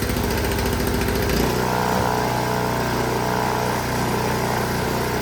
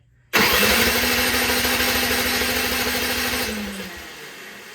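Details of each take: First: Honda HS 520 single-stage snowblower, partly reassembled, killed by choking; small single-cylinder fires and runs steady and even, then chokes out; healthy running. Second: Unmaintained Honda HS 520 single-stage snowblower, choke out, gas on, key on, oil full; sharp pull spins engine with fast rattle that dies without catching; no start, fuel not reaching carburetor.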